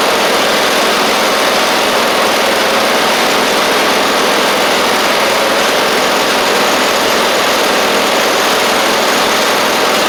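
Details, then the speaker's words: Husqvarna YTH24V48 mower with a replacement engine, run at mid throttle: steady, even drone with no misses, knocks or surging. This twin is running smoothly and healthy. "one more little more throttle here sounds pretty decent that's pretty [Music] good pretty sure that's great"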